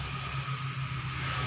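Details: Toyota Kijang Super petrol engine idling: uneven metallic knocking like metal striking metal, which appeared suddenly after a 30 km drive; oil pump and chain tensioner were checked and ruled out, and the cause was an alternator loose on a worn mounting bushing.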